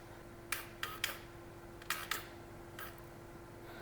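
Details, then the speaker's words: TBI engine, ECU power valve relearn triggered from the ERM, repeated run: short bursts of whirring clicks as the power valve motor drives up and down, over a faint steady hum, fuel pump spinning at the end; normal relearn cycle. "So you can hear quite easily the power valve moving up and down there, and at the end you can hear the fuel pump spin."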